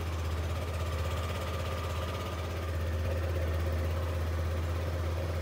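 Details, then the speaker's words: Yamaha NMAX arriving with the engine indicator light staying on; once started it idles fast, a steady low hum held well above normal idle with no dip, so the rpm isn't low enough. A scan is next, with the idle speed control valve under suspicion. "Dan kalau dihidupkan itu idelnya cepat bisa kita dengarkan mesinnya"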